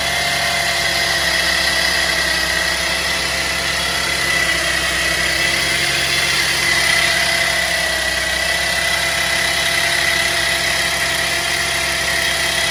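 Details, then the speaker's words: 2010 Chevy Traverse at idle after topping off full synthetic power steering fluid; steady high whine from power steering pump, much quieter than before but still present, cause not confirmed. "Okay, guys, I just topped it off. The noises went down quite a bit. It still got some whine to it."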